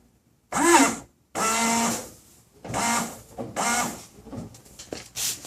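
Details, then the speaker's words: 1995 Toyota Tacoma, 235,000 miles, washer pump test after a fiberglass-and-epoxy repair of the cracked washer fluid reservoir: short firm buzzing bursts, clean starts and stops, strong flow, no leaks seen. "got good strong fluid flow up at the windshield I think I'll just leave it for a few days and take a look at it"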